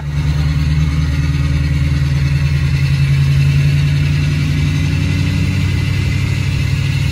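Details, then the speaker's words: Ford 6.0 Powerstroke diesel driven while limping home with the ICP sensor unplugged: heavy, uneven, lumpy loping drone instead of smooth running; rough running caused by the unplugged ICP sensor. "i have the icp sensor unplugged that's why it's running real rough but it's running is running so"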